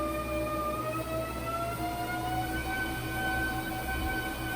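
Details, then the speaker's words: Treadmill after repair with new belt, springs, cushions, idler roller and incline motor; original metal-on-metal noise gone but a new thin whine climbs in pitch with belt speed across 2 to 9 mph; source unknown, belt appears aligned. "but now there is a new noise since installing the new belt, and the technician was unsure where it was coming from."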